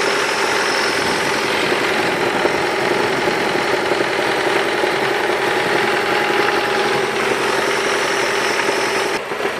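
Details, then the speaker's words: Mazda 6 engine: a hard metallic knock about twice a second over the idle, tied to engine speed. Hard metallic rod knock; a connecting rod bearing was confirmed to have broken apart. "двигателе Mazda 6. Предположительная причина — разлетелись вкладыши."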